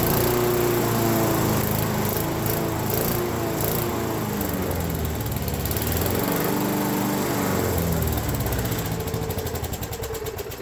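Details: Abandoned Craftsman mower with a Briggs & Stratton engine, cover off while the governor is adjusted on the fly: engine drones with its pitch drifting up and down instead of holding steady; governor setting suspected off.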